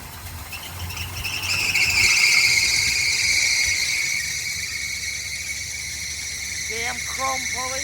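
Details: 1972 Chevrolet Nova with Holley carburetor, after choke and idle-mixture leaning, warming up: high thin squeal swells for a few seconds over the running engine, then settles; possibly a slipping accessory belt.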